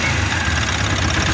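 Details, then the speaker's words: Mahindra Supro diesel that would not start and showed no trouble codes; the fault was a bad rail sensor. Now started: steady, even idle with a smooth low rumble and no knocks, misses or hunting. Sounds healthy, revs fine. "देखिए यह गाड़ी जो है start हो गया इसमें जो rail स खराब था ठीक है रेस में खराब था"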